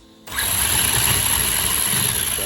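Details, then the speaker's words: Arrma Big Rock 3S RC truck after aluminum motor mount and spur install, spur gear clearance close and Dremel-modified: motor spins to a high steady whine with a gritty, uneven rasp; owner suspects gear mesh or break-in; cause unconfirmed. "that if that's if that's what I'm hearing cuz it don't sound as smooth as it could it could just be that Breakin thing that you have to do"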